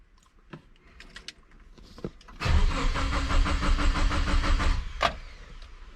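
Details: Compound-turbo Subaru Forester first start-up attempt after build: starter turns engine over evenly for about two seconds but it never catches; cranks without firing. Cause suspected, not confirmed.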